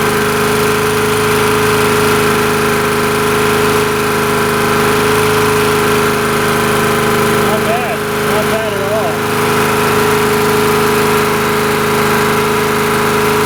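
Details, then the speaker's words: Honda EG2200X 2.2 kVA generator, possibly 1980s–early 90s, just started after fuel drained: steady, even hum at constant speed with no hunting or misfire, very smooth; owner suspects earlier no-start was air in the fuel and thinks the carburetor could use cleaning. "Very smooth. Initially it wouldn't start because I just drained this out, and I think there was some air in there or something, I don't know, but it probably could stand to have a carburetor cleanup."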